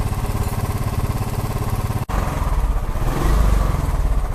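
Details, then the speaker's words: Royal Enfield Classic 350 after engine noise repair: deep, even single-cylinder thump about three beats a second, no ticking or clatter, running smoothly in gear. "तो फिलहाल मैंने हर कोई काम complete कर दिया है bike अभी झकास चल रहा है"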